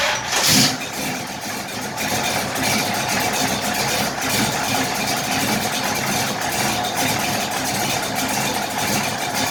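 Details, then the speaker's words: 1968 Impala with cammed V8, starts after two pats of the gas and a brief crank; quick catch, then a lumpy, loping big-cam idle, steady and even; runs fine. "you click the key on hit ignition boom it's running it's cammed out man that sounds good"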